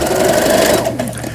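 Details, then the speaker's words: Brother CS100 computerized sewing machine (overseas direct purchase) after repair, sewing at medium speed; reverse stitching now works (it failed before), needle up/down positions normal; quick even needle chatter, no grinding or catching — normal sewing. "제가 늘상 말씀드리지만 속도는 중간쯤에 후진 정상적으로 되죠. 이게 후진도 되지 않았던 기계입니다. 그 다음에 바늘이 상단, 하단 모두 정상적으로 잘 되고 있습니다."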